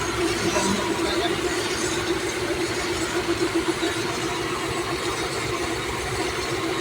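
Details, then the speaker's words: Toyota Corona/Corolla after computer box repair and reconnecting an unplugged relay, unstarted about a year: engine runs again, settling into a steady, even idle with a smooth hum and no knocks or misses. "so Ayan Nabuhay na ang bale nag-iisang taon na"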